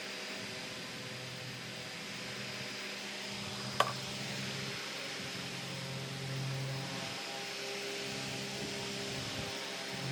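A low, steady hum under a soft airy hiss, no scraping or squeal; the table fan is running quietly and evenly.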